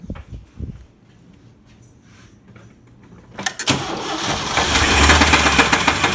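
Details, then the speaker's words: 1994 Chevy S10 engine started up: after a short crank, rough idle with a deep steady knock about four times a second; diagnosed as rod knock, though an idler pulley was also considered. "now there's two things this could be when you hear it it could be a rod knock or it could be an idler pulley the way it sounds let me start it"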